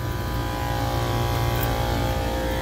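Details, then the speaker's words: Commercial kitchen AC unit under a temporary repair, with two of its three compressors grounded: the remaining compressor runs with a loud, harsh, unbroken hum and dense buzzing drone. It is abnormally noisy and suspected to be going bad. "This compressor is extremely loud."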